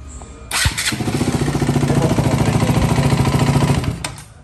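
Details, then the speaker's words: KTM Duke 200 after fitting a new starter motor and thicker ground and positive cables: quick crank, catches in under a second and settles into an even, steady idle; starting normally. "Quedó prendiendo correctamente ya para entregarle la moto."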